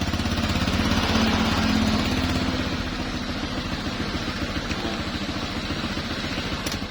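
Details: Honda Vario 125 injection that won't electric-start, horn dead though fuel pump hums, kick-started: steady even single-cylinder idle with no knocks or misses.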